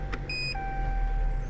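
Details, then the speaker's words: 2020 Chrysler 200 with newly installed rear parking sensors: a short, clean high beep over a quiet idle as reverse goes in, meaning the sensors are ready and working. "you can hear it It beeped yeah that means everything is ready"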